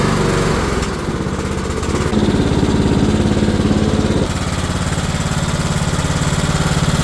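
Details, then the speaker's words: Cub Cadet mower with Kohler engine after new coil and wire with gap set, new air filter, cleaning, improved oil drain and new blades: steady even single-cylinder thrum at constant speed, no misses, knocks or surging; normal running. "new air filter element cleaned everything off put a better oil drain system on here and installed it new blades and got everything thing all freshened up so it runs great now"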